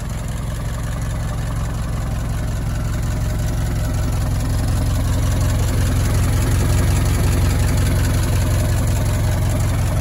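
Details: Old four-cylinder Model T farm truck, barn find left for years in a tool shed, first start after simple repairs: low, steady chugging about three beats a second without stumbling; idling fine.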